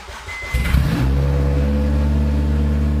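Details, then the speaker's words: Honda Civic Type R K20 (K20A/K20A2) engine swapped into a Honda Jazz/Fit, run with no exhaust fitted; sharp start then loud, raw, even engine note with steady tones, no knocks or rattles; manifold exits through hole in floor; normal revving. "sounds good got you for not having an exhaust it sounds good"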